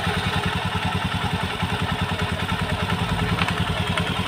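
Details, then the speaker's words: Honda Beat ESP CVT: rhythmic dry kletek clatter at about 2.5 per second, persisting after the throttle is blipped and released; spraying water quiets it briefly. "Terus setelah digagasnya ditarik terus dikecilkan Di ada suara kletek kletek kletek kletek tetap ada semen"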